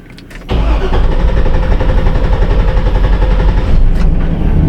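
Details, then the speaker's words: 2006 Chevrolet Silverado 2500HD 6.0L, 43,270 miles: starter churns steadily over four seconds without firing, extended crank persisting after another shop replaced parts; cause traced to excessive cam sensor air gap. "so that's was about the same as the first time so still you know obviously an extended crank"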